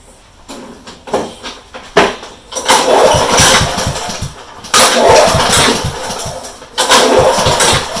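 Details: Honda HRU196 mower, about 10-12 years old, being pull-started after the owner found a very loose spark plug and suspected dead compression: repeated pull-cord cranks of fast chuffing that never catch; spins freely but no-start from fuel starvation.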